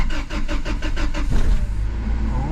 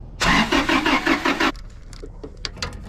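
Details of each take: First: Toyota 4Runner (1996–2002 generation) after fuel pump replacement for a no-start: starter cranks in quick, even beats for about a second and a half, then the engine catches and settles into a smooth idle; normal start. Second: 1996-2002 Toyota 4Runner: starter cranks engine briskly in several short tries but it never fires; no start from failed fuel pump not delivering fuel, fixed by fuel pump replacement.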